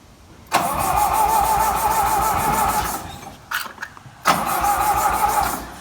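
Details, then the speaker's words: John Deere 2010 tractor cranking with starting fluid sprayed in after fitting a new 12-volt coil: two bursts of steady cranking at about four turns a second, no firing at all; timing light confirms still no spark, distributor suspected next. "Looks like I still have no spark here, by the way. Get the timing light up here. Okay, yeah. We still have no spark."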